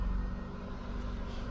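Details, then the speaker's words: 1995 Ford Escort wagon after near-complete exhaust replacement with new muffler, cold start idle: low, even rumble, soft exhaust note, no rasping or leak puffs, cat rattle gone; valve train noise audible on cold start, louder outside. "was much nicer now i can hear all that terrifying valve train noise on cold start really would have hoped for quieter than this"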